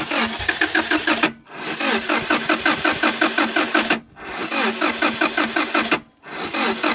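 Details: Subaru Impreza with new ignition coils cranks in quick, even starter bursts but never fires; owner reports it gets fuel and has spark, cranks but no start.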